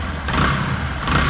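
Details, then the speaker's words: Used Bajaj Discover 100 after repair of "ko-ko" noise on pickup (timing chain/tensioner end, which was substandard): single-cylinder idle with a couple of light throttle swells, no knock or clatter; noise gone, healthy. "এইযে cocoa সাউন্ডটা এটা শুধু আমরা বন্ধ করে দিব এইযে দেখেন এর গাড়ির টার্মিং চেন এবং হচ্ছে এটা তো দুই নাম্বার ছিল টার্মিনট এন্ড কিন্তু কোকো সাউন্ড আর নাই"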